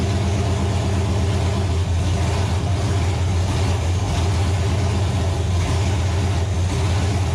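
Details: Nova engine, start on the stand after six months of troubleshooting: loud, steady, even note with a deep throb and no knocks or misses. Runs healthy; a gauge suggests a possible wiring issue.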